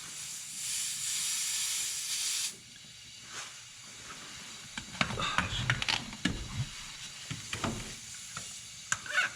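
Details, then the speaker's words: Boost leak test on a turbo engine, intake pressurised and joints sprayed: loud steady hiss for a couple of seconds, then handling clatter; leak at the intake, up pipes seem good, clamp to be retightened. "okay so that's around ery intake over here it's leaking some the up pipes seem to be good"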